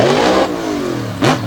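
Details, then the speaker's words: Off-throttle backfire and popping from a Ford monster truck racing at Brownstown Speedway; the engine revs hard, then a sharp pop follows. Truck still responds well, but fuel problems are suspected, not confirmed. "now you can hear it popping something not quite right inside of the pretty wicked ford out of dover delaware"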